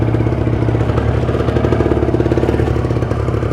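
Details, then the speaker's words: Cold start warm-up of a Kawasaki Ninja 150 RR two-stroke: steady, even idle with crisp regular crackle, no knocks or misses; rpm left to rise to about 2000–2500, settling there means fuel circulation is flowing properly. "Dan biarkan rpm nya itu naik kurang lebih sampai 2000 2000-2500 kalau dia sudah tenang di angka RPM tersebut berarti sirkulasi bahan bakar sudah lancar"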